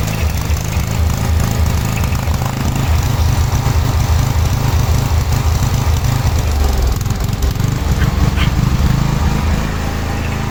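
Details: 1986/1987 Cub Cadet 1106 riding tractor, sat over 4 years, during drive function test: small engine chugs with uneven stumbling beat, rough running; owner suspects dirty spark plug, though plug later looked not too bad.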